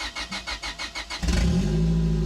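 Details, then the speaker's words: Abandoned turbo Honda Civic, cold compression 160/160/175/175 psi, after replacing blown ECU/fuel-pump fuse, no exhaust fitted: about eight quick even cranking pulses, catches within a second, steady loud idle; clean healthy start. "The engine started up confidently and it's running smooth. The only thing it's loud because there's no exhaust system yet, but that's not important right now."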